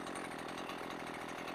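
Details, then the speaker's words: Husqvarna 128LD string trimmer two-stroke, after setting both carb screws to 1¼ turns and turning the low-speed screw until the idle drops: steady even idle, no hunting or sputter, not too rich; normal idle. "there we go see how I dropped okay that that might be the sweet spot right"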